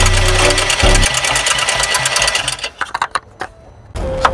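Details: 2012 BMW 114i F20 1.6 petrol with a no-start and codes P1338, P1339, P13C9 and P0300–P0304, run after cleaning the spark plugs and solenoid: fast, uneven metallic ticking rattle before the engine cuts out; the timing chain was later found to need replacement.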